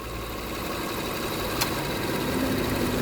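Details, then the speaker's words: Toyota Kluger V6 at about 650 rpm idle: low, lumpy uneven beat with a sharp click as cylinder 2 is disconnected, making no RPM difference, so cylinder 2 is the dead, misfiring cylinder. "That's made no difference whatsoever. Nothing at all. All right. So, that's cylinder two disconnected. Made no difference. No difference at all. I think we found our problem."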